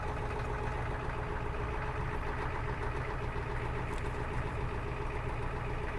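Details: 1991 Ford Econoline 350 with 7.3 IDI diesel, about 90,000 miles, cold start after a second crank with glow plugs cycled and a little gas: steady, even clatter at a fast idle with no misses or knocks; runs normally.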